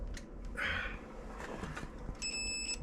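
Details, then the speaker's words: Classic White Freightliner COE wrecker, tracing ignition wiring in freezing cold: a short steady high beep as the tester probe touches the wire, showing that lead is the live battery feed. "okay there we go power okay so that's the battery okay turn it off perfect so now we know that that one is the battery"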